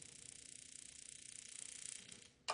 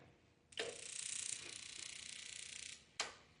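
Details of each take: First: Heatstar (Mr Heater) HS8060 60,000 BTU propane radiant shop heater on temporary test wiring. Rapid even sparker ticking, about eighteen per second, then one click off; the burner never lights. Owner suspects air in the gas line. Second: Heatstar (Mr. Heater) propane radiant shop heater, temporary hookup, second ignition attempt after suspected air in line: rapid igniter spark crackle for about two seconds, then a click as burner lights normally.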